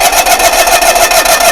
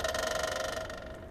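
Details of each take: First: GMC motorhome generator started with a jumper wire to the coil after fuel pump priming: loud, fast whirring grind continues after the engine fires then cuts abruptly; starter hung engaged, possibly linked to circuit board fault. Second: GMC motorhome generator, fuel pump primed via jumper wire from coil to starter main wire: rapid ticking buzz that starts loud then eases quieter as lines fill; normal priming.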